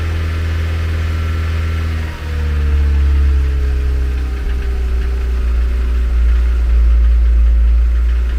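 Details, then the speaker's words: Renault 11 TXE carburettor engine cold-started on choke, warming up: uneven running, drone sinking and wavering as revs sag; won't settle into steady idle. "Bon ben maintenant, il y a plus qu'à la laisser s'échauffer. Ah, par contre, elle veut pas tenir le ralenti."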